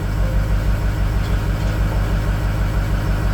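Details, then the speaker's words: Used 6.0 diesel just installed, first start on jump box, power balance test; lumpy uneven idle with regular stumble about three times a second, cylinder two dead miss: dead miss on one cylinder. "not good for it cylinder two's got a dead Miss we're gonna go ahead and power off"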